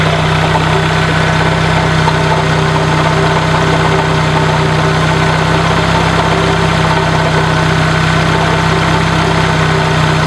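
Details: 1996 Dodge Neon idling: steady rough grinding, scraping from failed alternator bearings, audible over engine noise, much louder when throttling up; easily mistaken for an internal engine noise.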